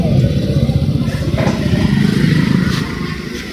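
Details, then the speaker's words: TVS Apache RTR 160 4V motorcycle after chain service: rusted chain cleaned, greased and re-tightened; steady low engine rumble with no chain rattle or slap: quiet chain drive, normal running. "इसके बाद आप देख सकते हो अब आवाज़ नहीं आएगी हम आपको फिर से आवाज़ को सुनते हैं किस तरह से आवाज़ चली गई है बिल्कुल भी आवाज़ नहीं"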